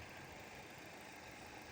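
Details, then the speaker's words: Ford work truck started cold after a failed radiator hose was replaced and coolant refilled: a quiet, even idle at about 2,000 rpm with no knocks or surging, expected to drop once warm; no leaks found. "You know, truck idling at 2,000 RPM. That's because it's cold. It's gonna drop when you warm up."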